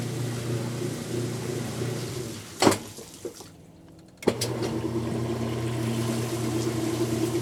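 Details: Kenmore washer, sat about six months and stopped halfway through wash cycle, broken lid switch bypassed: steady low pump hum with water rushing, brief pause then picks up again; now draining normally.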